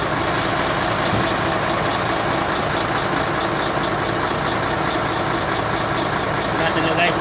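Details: Mercedes-Benz Actros 1844 diesel truck with a hard-starting-every-morning complaint: steady diesel clatter at idle with an even beat and no misses or knocks; it runs normally.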